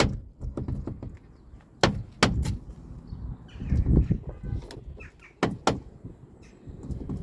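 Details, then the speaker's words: Car door with brand-new cheap replacement check strap installed and greased, no engine running: sharp single knocks and light rattle as the door swings; defective new check strap, hinges fine. "It's not supposed to do this. It's supposed to be quiet. But it's rattling. It is rattling."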